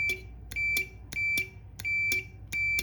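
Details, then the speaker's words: IWELD TIG160 welder with no high-voltage output, relay being tested: power applied to the coil and the normally-open contacts close, so the meter's continuity beep switches on and off about every 1.5 seconds. Relay contacts close normally. "ถ้าContactเขาต่อกันนะครับตัวนี้จะดังปี๊ดขึ้นมานะครับ"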